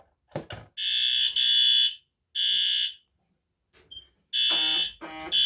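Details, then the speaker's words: A System Sensor i32WB photoelectric smoke alarm, activated with its test button, sounds loud, piercing high-pitched blasts in repeated bursts with short gaps while the strobe flashes. This is a normal alarm test. "The system sensor i32WB. It has a photoelectric sensor. We'll go and give it a test. Well, press the test button to sound the alarm."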